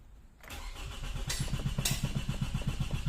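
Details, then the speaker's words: 2006 Toyota Camry automatic, likely 2.0, no start after alternator replacement, no fault codes; starter churns steadily about four beats a second but engine never catches; cranks but does not start. "Subukan natin to yan so nagre rondo lang daw pero hindi na tuloy"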